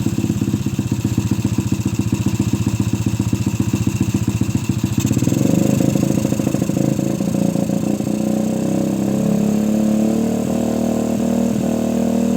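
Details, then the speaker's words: Suzuki Shogun single-cylinder, trail-modified for heavy loads, after cleaning a clogged carburetor, running with no air filter and the air screw adjusted. Idle thumps climb smoothly into a strong, even rev with no stumble or bog, so the carb is fixed. "Kita tes mesinnya ya, setelah membersihkan pada karbu yang terasa tersumbat."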